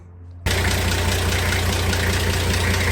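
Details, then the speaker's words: 2005 Nissan GU Patrol TD42 diesel after a valve adjustment, just restarted: engine catches and settles into steady typical rattly diesel idle clatter, even rhythm, no ticking from the valvetrain; healthy. "Everything sounds good. Sounds like your typical rattly TD42, but no weird ticking sounds."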